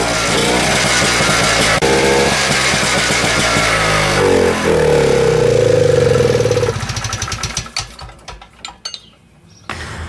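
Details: 1972 Rotax 340 two-stroke in a Tomberlin CrossFire go-kart, running with a newly fitted hybrid clutch, before the belt goes on. It fires up with a crackly buzz, revs rise and fall freely, then it winds down and stops; runs fine.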